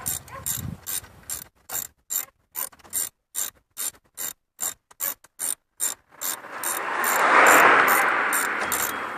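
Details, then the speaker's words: 1998 Chevrolet S10 4.3 V6, 310,000+ miles, old idler pulley removed and spun by hand: bursts of dry ratcheting clicks then rough rushing spin; worn bearing, new pulley spins silent. "right that's silent compared to the old one the old one just sounds like it's I don't know if you can you can hear that"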